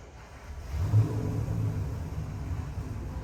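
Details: Customer's freshened LS7 V8 (re-ringed, new bearings, heads redone, new port-matched intake, same cam) on the dyno, heading for a final 6,500 rpm pull; deep even rumble swells as the throttle opens, no knocks or ticks, a normal run under load.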